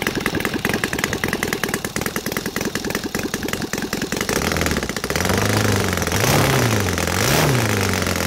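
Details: Saito FA270T twin converted to gasoline with CH ignition, 20:1 mix, TF 20x10 prop, carb leaned slightly: loping, irregular idle, then rising and falling revs smoothing out as excess fuel clears on throttle.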